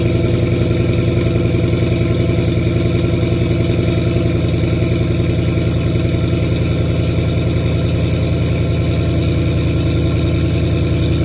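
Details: 2010 Ford Mustang GT at idle: loud idle with uneven lumpy pulse about three and a half per second; rough idle, owner suspects bad fuel injectors, not confirmed.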